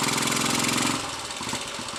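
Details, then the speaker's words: Royal Enfield 250 five-speed engine revs, then drops to a firm, even thumping as it pulls against the brake in first gear; first gear works normally, while third gear is badly worn. "Hear the engine pulling when I open the throttle and put the brake on, so first gear is working okay."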